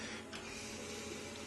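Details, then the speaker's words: Stepper motor on EM705 digital driver with PMDX126 breakout and SmoothStepper, fresh untuned install, running at 1% of about 30 m/min full speed: faint, even hum with soft steady tone, no clicks or stutter; normal stepper motor running. "Just running it super slow. You can barely hear it. Just those digital drivers just do a fantastic job at low speeds."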